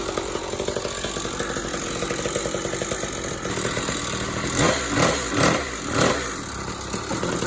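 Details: "49cc" two-stroke mini moto, freshly clearcoated and assembled, started for the first time; it idles unevenly, then takes three quick throttle blips that rise and fall cleanly, running properly, though the owners note it needs a rebuild.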